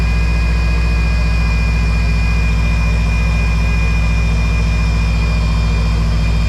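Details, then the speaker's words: 2012 Subaru STI at idle during bleeding after power steering line replacement for a fluid leak: steady high whine over the idle, pump moaning from air still in the system, steering wheel wiggling; bleeding continues. "oh yeah it's wiggling because it's got air in the system so I'm gonna continue to bleed this"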